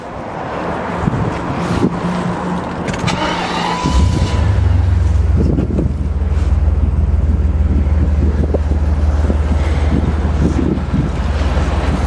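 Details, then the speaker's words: 1991 BMW 850i (E31) V12, salvage car back from garage repair: catches and settles into a smooth, even low idle with steady deep hum, no knocks or misses; normal idle. "we're just going to start the engine so you can have a listen to the"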